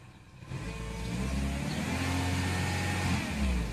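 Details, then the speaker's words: Peugeot 3008 1.6 petrol, Bosch MEV17.4 ECU, after immobilizer fault fixed by disabling the immobilizer: engine catches and settles into a smooth, even hum with a light rev rise and fall, no stumbles. Normal running after repair. "Και τον εγκέφαλο πάνω στο αυτοκίνητο και παίρνει μπρος άψογο."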